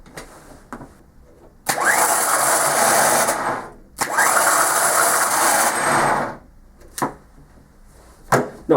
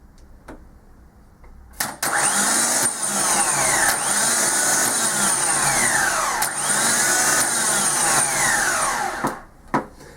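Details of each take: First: Ford Transit diesel starter motor bench-tested off the engine, spun twice, loud harsh whining rasp; common fault where clutch dust gets into the starter gear and clogs it. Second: Ford Transit diesel starter motor on the bench: it spins freely with an even high whir, no squeal or grinding. The noise had been caused by clutch dust clogging the starter gear.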